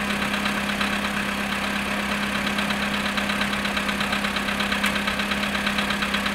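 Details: VW Polo sedan, cold start at -7.5°C after sitting 14 hours: a low steady idle hum with a soft knock once or twice a second; the cause is undetermined.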